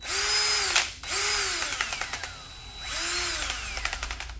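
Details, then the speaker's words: Old drill running a big wire brush: the motor whines up and sags repeatedly, with rapid irregular taps and knocks as the brush loads it; the owner says it only knocks with this brush, cause unclear. "got a bit of a knock to it but here i'll show you it's only with the let me put three quarters drill bit in it it only does it with the big wire brush which is weird"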